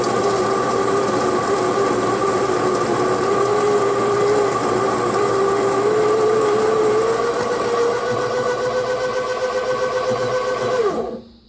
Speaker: So next you just hold this button down until the grinder kind of changes pitch, and that's how you know it's done grinding.